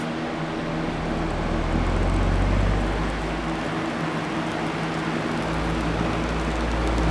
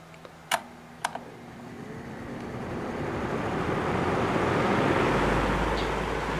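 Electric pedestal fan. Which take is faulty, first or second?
first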